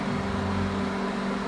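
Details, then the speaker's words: Microwave after replacing magnetron and mica sheet, heating water: steady even low hum with faint buzz and no popping or sparking; normal operation after repair. "já funcionando normalmente aí trocamos trocamos o magnetron né trocamos magnetron e trocamos A Mica aí o micro-ondas voltou a funcionar normalmente né"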